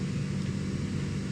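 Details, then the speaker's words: Chevy Colorado blower motor after repairing a bad ground connector: steady, even low whirring hum with no ticking, rubbing or squeal; normal blower motor operation. "listen to that blower motor spinning so right back there it is now we got our blower motor and there's blower motor is blowing there now"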